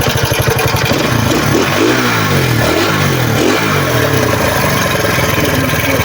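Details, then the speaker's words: RKS150 motorcycle damaged by an inexperienced rider, rebuilt with used piston and valves: a harsh, rattly note that swells and drops with the revs, clattering throughout. Caused by a badly damaged connecting rod and a damaged cam. "So problema natin ito mga boss mga bay, malala kasi yung connecting rod may tama, saka yung cam may tama din."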